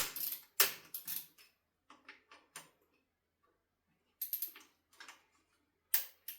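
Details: Ducati Monster 1100 during steering head bearing service, loosening fork pinch bolts: sharp dry creaks and squeaks in short bursts from over-tightened, poorly lubricated pinch bolts.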